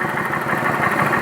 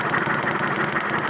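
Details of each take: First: 2011 Kawasaki Vulcan 900 after fixing the pulley that caused an engine noise: steady, even idle with a smooth mid-pitched hum and no tapping or rattle; the noise is gone and the engine sounds healthy. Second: 2011 Kawasaki Vulcan 900 V-twin at idle: quick, even ticking knock, about ten a second, over a steady idle; the knock comes from behind the pulley cover, with valve cover and cam checked and no fault found.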